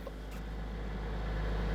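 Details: Crash-damaged Mercedes-AMG A45 S being rebuilt, first start after software flash (sensor rotor adaptation fault code pending): deep low rumble swells then settles into a steady run; engine starts and runs normally.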